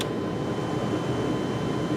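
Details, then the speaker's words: 1998 Chevy C2500 pickup dash blower after melted blower switch connector, temporary fix: steady airy whoosh with faint constant hum, no speed change; fan runs on only one speed. "well I don't know if you can hear it but it's definitely putting out some air but I only have one speed now"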